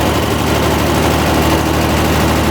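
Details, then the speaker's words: Square-body Ford Ranger engine with new heads, after the distributor was readjusted: a steady, even low idle with a smooth firing rhythm and no knocks, said to be the nicest it has idled since 1987. Normal idle. "Yeah, that's good. So I don't think this thing has idled that nice since 1987."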